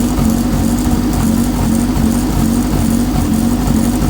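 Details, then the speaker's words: Honda Civic EK coupe with JDM B18C swap, first start: uneven, lumpy idle with a wavering hum that never settles; owner suspects unplugged O2 sensor, sensors wired wrong, or a bad ISC valve. "I guess we spoke too soon. It's back to idling like shit. I need to plug up that O2 sensor in there. You can hear it. It's idling rough as fuck."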